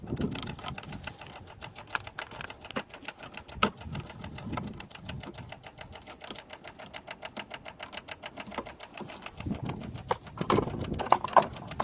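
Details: Alfa Romeo 156 1.6 TS that won't start: rapid, even fuel pump relay clicking, about five or six a second, no cranking, with the diagnostic light flashing. Cause was a failed throttle body/ECU; replacing the throttle body, ECU and code box fixed it.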